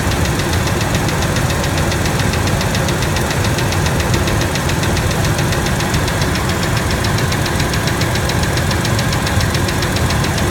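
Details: Ford F-150 V6 1997 at idle: fast steady ticking knock over a rough idle, keeping time with the engine; stethoscope on rocker arm bolts shows it loudest on the middle cylinder, both valves. Valvetrain tick, cause not yet found.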